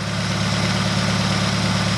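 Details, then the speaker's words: Subaru BRZ on a new short block after fixing a wrongly connected fuel line, timing actuator valves correct; warming up toward temperature, low even idle hum with smooth steady beat, no misses or ticks, idling down nicely. "but I'll see any oil leaks now she's idling down nice"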